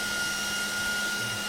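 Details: 12 V DC cooling blower (for radio cooling) run through a DC-DC step-down converter, potentiometer turned up to a higher speed: steady airy rush with a thin constant whine, no rattle or scrape; spinning cleanly.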